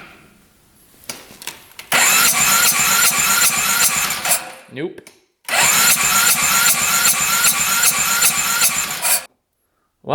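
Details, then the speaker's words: 2010 Polaris Sportsman 550 EFI ATV that would not run: quick, light cranking with little resistance during a compression test reading 45 psi versus 70–90 normal; low compression, rings suspected, oil was low. "Yep. We definitely have low compression. We're at 45"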